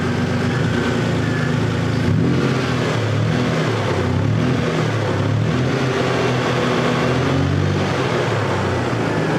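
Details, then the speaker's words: 2000 Toyota 4Runner 3.4 with earlier P0300/P0305 random and cylinder 5 misfire, cured by moving a coil or wire that was shorting: revs and settles cleanly, even steady exhaust, no stumbles; running smoothly, no misfire. "I really was hoping I'd find something bad and coil or a wire but this wasn't the case this time so running really good"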